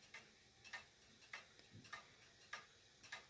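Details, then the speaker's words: 1940s Manufrance (MF) box clock with Saint Etienne chimes and Girod movement, long pendulum: crisp ticks about 100 a minute, uneven in strength with faint extra clicks; intermittently goes out of beat and returns, as nearly half the escape wheel teeth are shorter or bent. "you might notice that at some point it gets out of beat and then it comes back to normal. Nearly half of the escape wheel teeth are shorter or bent."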